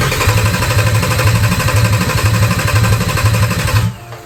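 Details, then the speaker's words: Audi A3 3.2 VR6 swapped into a VW Caddy, first start attempt; starter churns about two beats a second with no firing, then stops; crank no start, owner suspects a temporary Wago wire connection or missing trigger wire. "when I'm not quite sure about a cable or a wire, I put them temporary Wagos in, just temporary, while I try and get it started and try and get it running. I've got 4 of them sat in the engine bay there, which will get replaced, and I think one of them's a problem."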